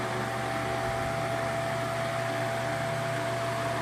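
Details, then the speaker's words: Ventisol VOP 60 MX G3 60 cm wall fan, 200 W, 2.5 µF capacitor, no dimmer so at maximum speed after coil jumper repair and cleaning: steady even whoosh and constant motor hum, nothing rubbing or rattling. "É um ventilador bem forte aí na questão de vento, pessoal. Uma rotação bem alta."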